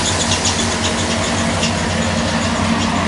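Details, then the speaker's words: Rebuilt Mopar 360 small block in a 1997–98 Dodge Ram 2500, idling after vacuum leaks were fixed: steady idle with a thin, high chirping squeal from a slipping accessory drive belt; otherwise runs well. "you run pretty good oh yeah little squeaky belt no big deal other than that that face runs pretty [Music] good"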